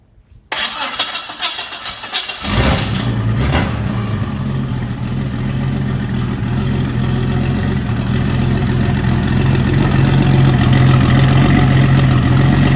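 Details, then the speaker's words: Turbo Jeep Comanche 4.0 that spun a main bearing during a burnout, started after a battery swap: cranks, catches and settles to idle with a deep, regular knock under the engine note, spun main bearing. "a burnout and it spun a main bearing, but it being a Jeep 4.0, it runs still, and I'll still drive it as if it wasn't knocking because I think this motor will hold up."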